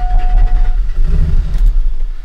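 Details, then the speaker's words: 2000 Chevrolet Silverado, 5.3L LM7 with VS Racing 7875 turbo, after Summit SUM-8701 cam swap, untuned idle: uneven pulsing low rumble as it fires but can't settle and dies without throttle pedal; stalling after start. "it kind of fires tries to start but won't stay running so in order to keep it running I can give it some gas and kind of keep it running with the pedal but as soon as I let go of the pedal it just dies"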